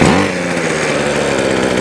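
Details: Ryobi two-stroke trimmer after strip-down, service kit and repair of non-running unit: crisp rasp settling into steady, even run with no misses or surging; working fine.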